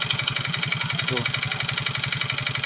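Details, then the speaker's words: Yamaha Mio J scooter idling with harsh, clattery knocking about eleven per second like a dompeng engine; also smokes and burns oil; piston slap from worn piston and cylinder suspected, connecting rod not yet ruled out until disassembly. "Gila ngeri banget suaranya kalau saya dengar-dengar sih dari suara piston yang paling jelas ya"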